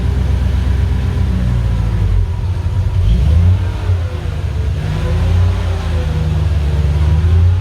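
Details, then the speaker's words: Mercedes 560SL R107 with swapped supercharged M113K V8 from an E55 AMG (480 hp), manual gearbox, MaxxECU, believed running on E85: deep strong rumble swelling smoothly with throttle blips and settling cleanly; healthy running. "Let's Let's see how how it starts up. I think he's running it on E85 ethanol fuel right now."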